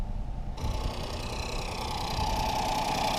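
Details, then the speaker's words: 2018 Ford Focus SE parts car, sat about three weeks with suspected water in a cylinder, finally starts on a jump start; catches after half a second into an uneven, lumpy rough idle in drive with lots of white smoke; cause unconfirmed. "I got it going it's in drive but we're not going anywhere she's lots of white smoke that's a white smoke it's alive"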